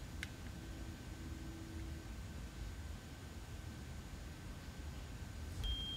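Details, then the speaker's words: Revopoint Mini beta blue-light handheld 3D scanner during a surface scan gives faint high electronic beeps over a low room hum, its alert that it has lost tracking (lost deliberately). "you can hear a faint beeping sound this means that it lost tracking i did this on purpose just to show you what happens when you lose tracking"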